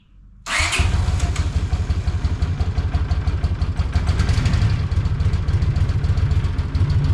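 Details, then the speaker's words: Honda GL500 Silverwing, 43 years old, after valve adjustment on both sides: starts quickly and settles into a steady, even low idle with no top-end rattle or ticking; the rattle was from valves, though owner suspects remaining carburetor issues. "There is no more rattle. That valve adjustment is where the rattle was coming from."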